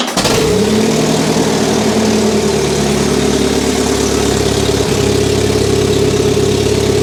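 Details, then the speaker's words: Barn-find Saab 99 after a leaking fuel union was tightened, started on three pulls of choke. It catches and holds an even, steady idle for over a minute with no spluttering or cutting out; good oil pressure, and the fuel problem is likely fixed. "That must have been running for more than a minute now. It's not looking bad. So, we may well have sorted that problem."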